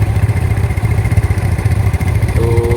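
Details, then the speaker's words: 2012 Yamaha Mio S scooter, old bike; idle rises and falls in loping chugging "nguk nguk" pulses instead of smooth, speaker refers to the belt, cause unclear: uneven pulsing idle. "untuk Pan beltnya sama motor lama enggak bisa halus bunyi nguk nguk nguk nguk ini"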